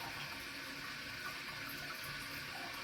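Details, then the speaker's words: Toilet tank leaking for months into bowl, tank refilling on its own: steady hiss of water trickling with no shut-off because the lift chain is caught under the flapper so it won't seal; moving chain stops it, Korky Universal 2" flapper replacement. "And I noticed that this chain is actually stuck under the under it's stuck underneath the flapper. So when I when I move this and I move the chain a little out of the way, this has stopped."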